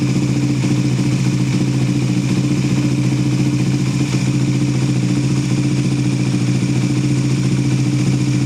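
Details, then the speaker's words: Suzuki GSX-S150, cold start after timing chain tensioner adjustment: smooth even idle hum with no rapid ticking; the earlier tick is gone, cam chain quiet and properly taken up. "Yan, so narinig na natin yung difference guys ng before ma-adjust and yung after. So malaki yung kaibahan niya, no? Talagang nawala yung lagitik."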